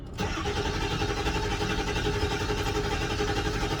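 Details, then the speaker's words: Ford 7.3 PowerStroke diesel after replacing injectors #8 and #3, with new batteries: fires right up, then slightly uneven loping idle with an irregular miss from air still in the system; misfire from air in fuel system. "fired right up now you can hear the miss from the air because there's air in the sys"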